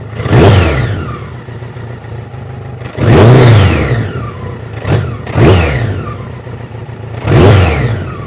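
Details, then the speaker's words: BMW K100 cafe racer project, long unused, restarted after a fuel tank overhaul with the choke off: four sharp revs, each trailed by a loose metallic clatter. The owner wonders if the oil level is low; cause unclear. "Does sound quite rattly in the engine. I know there's oil in it. Perhaps not [Music] enough."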